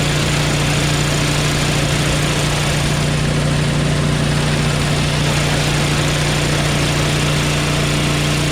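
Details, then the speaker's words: Craftsman 5.5HP 24-inch dual-stage snowblower after the head and valve repair: a steady, even idle with a firm low hum and no stumbling. It no longer stalls and is more powerful than before; normal idle. "that's idle so there you go man it's way more powerful than before"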